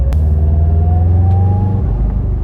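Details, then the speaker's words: Subaru STI with $200 EJ257 engine after a knocking-noise investigation, driving at about 2000 rpm: smooth, even boxer rumble with pitch climbing gently, no knocks or ticks; engine sounds healthy. "Damn, this thing is good. It sounds healthy though. I am so happy just like literally just putting this thing around at 2000 RPM."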